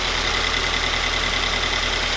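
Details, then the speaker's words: 2020 Toyota 86 just fitted with Megan Racing headers: steady, quiet idle with a thin constant high whistle; suspected exhaust leak from one header bolt that could not be fully tightened due to pipe placement. "Okay, now we're gonna start the car. See how it sounds. Still very quiet. That's a little whistle."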